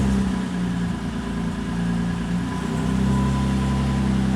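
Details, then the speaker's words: Toyota 2GR V6 in an MR2 Spider on a Haltech ECU, with VVTi now used to remove the deliberate big-cam lope: the idle settles from wavering into a smooth, even beat. "See? Nice and smooth. Computers are crazy, dude."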